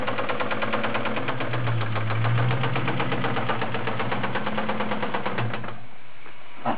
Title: 97 KenneBell Cobra - 4 valve suffering rod knock..